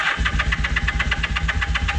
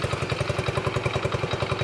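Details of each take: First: Vintage motorcycle from a trailer batch, started with starting fluid on old fuel. Choppy pulsing sags almost to a stall and only keeps going on throttle blips, so it won't idle. Owner suspects jammed idle jets and says the carbs need cleaning. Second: Vintage Honda motorcycle, possibly single-cylinder, from a trailer batch; it started straight away with fuel present, spark and a working charging system. Quick, even exhaust pulses at a steady idle with no misses or knocks; a healthy idle.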